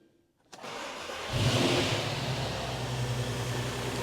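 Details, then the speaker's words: VW Passat R36 first start in about a week after new timing chain and flywheel; brief starter whirr then clean catch into smooth, even idle, no knocks or misses, no engine light, timing chain seems okay. "so I forgot how smooth it is got no leaks on the floor we've got no engine management light as well so Tim and chain seems to be still okay"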